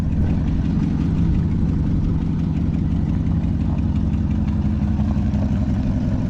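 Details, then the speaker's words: 1973 Chevrolet Chevelle Malibu V8 idling after the electric fuel pump was fixed (it was damaged when the car ran out of gas) and the gas gauge was repaired; steady, even burble with no knocks or misses, running normally. "seems to be running pretty good so he's going to take it for a little road test and give us the final verdict when he gets back"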